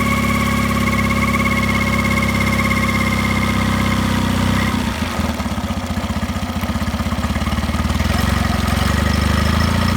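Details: Mercury 9.9 Pro Kicker outboard at low rpm making a steady humming noise over a fast, even pulse, what sounds like a bearing noise; cause not identified.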